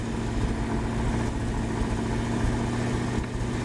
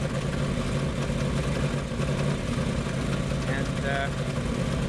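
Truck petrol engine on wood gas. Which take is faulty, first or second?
second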